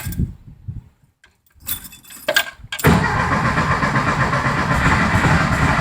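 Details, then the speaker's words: 1973 VW Thing engine parked since the early 1980s, carburetor mixture screws set 2.5 turns out, primed, no choke: churning with uneven sputters that don't catch; trying hard but won't start, ignition timing suspected after being messed with. "Ooh, it's trying. It's trying real hard. Who knows if the timing's right?"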